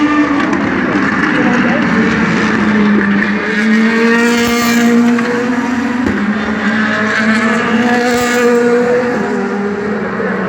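Rough, uneven V8 note wavering in pitch with irregular stumbles in the beat, consistent with a cylinder misfiring. Cause suspected, not confirmed.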